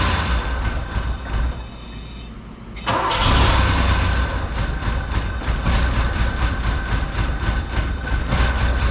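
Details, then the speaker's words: Porsche 928 V8, started after fitting all eight spark plugs and wires; owner suspects a fuel issue: fires after a short crank, settles into an uneven, lumpy idle with irregular misses. Rough idle, cause unconfirmed. "sometimes it's something simple but I think it's a little more advanced than that I think it's still a fuel issue it's still a fuel issue"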